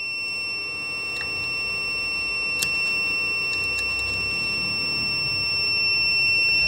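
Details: APC SRT 5kVA UPS on 247 V input, fault P.16, event code 125. A steady high-pitched alarm tone sounds in a quiet room. The negative DC bus soft start fails: the diode reads 0 V instead of 400 V, and the negative supply after rectifier D1206 does not reach D1309.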